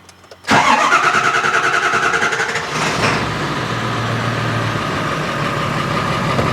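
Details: Ford 7.3 Powerstroke diesel after its oil cooler was resealed and reinstalled, refilled with 4 gallons of fresh oil and about 3 gallons of coolant, with air pockets still to bleed. Two seconds of rhythmic cranking, a quick catch, then a steady, even diesel idle with no knocks; a healthy start.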